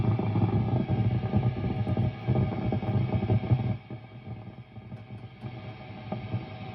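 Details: Mesa Boogie Dual Rectifier Multi-Watt amp idling on a gain channel (raw, vintage or modern) with an intermittent hiss and crackle like frying bacon; none on the clean channel. Tubes unchanged and of unknown use; it also pops when switching channels. Owner suspects a failing resistor.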